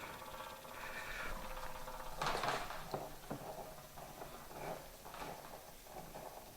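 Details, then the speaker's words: Fuel pump removed from a 2004 New Edge Mustang, bench-tested on 12 V via alligator clips: uneven chugging and clatter of about four beats a second with zero fuel out; the pump labours without flow. "let's see how it goes it's making chugging noises"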